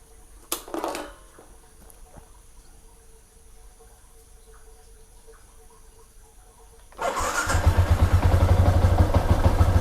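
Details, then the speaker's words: A Ysuku motorcycle, fully reassembled, catches quickly after quiet clicks and settles into an even idle thump, about three pulses a second; it starts and runs normally, and the ER1 error is gone. "alhamdulillah hidup, walaupun kita dah pasangkan berset semua sekali, semua hidup."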